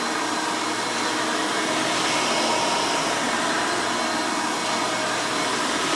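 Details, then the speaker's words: Vintage 1990 Hoover Elite 350 U4463-9 upright vacuum with a 5-amp motor running: a loud, steady high-pitched scream with an even airy rush and no surging or rattles. The motor is healthy. "let's go ahead and run this thing so you can hear it in all its screaming, overly loud Hoover glory."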